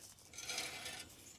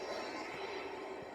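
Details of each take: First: Parts Jeep Wrangler YJ, long unused, axle with the wheel off, spun while parts are removed to find a grinding: harsh scraping rasp swelling once per turn. Bent brake backing plate rubbing on the rotor; the noise goes away once it is cleared. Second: Jeep Wrangler YJ axle, wheel spun by hand after light hammering to clear a rub mark: light, steady whirring scrape with no grinding or binding; spins easy and doesn't drag. Normal brake pad noise.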